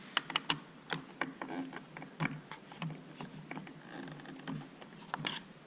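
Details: Radio Flyer 4-in-1 tricycle after repair of pedals that skipped then stopped locking, plastic hub assemblies remounted on the right side: crisp irregular ratcheting clicks as pedals are worked, clutch catches and releases cleanly; normal pedal clutch clicking.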